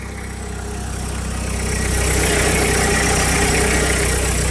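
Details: Diesel's first cold start after a rebuild with fuel hoses done and a full service. Steady, even idle at about three and a half beats a second, smoothing as it settles, no knocks or rattles; turbo audible; healthy cold engine.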